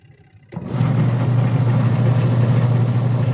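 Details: Sharp Gigawash 6 5kg washing machine after pulley replacement: a thump, then a steady low hum builds and holds even, with no squeal or knocking; the drive sounds healthy.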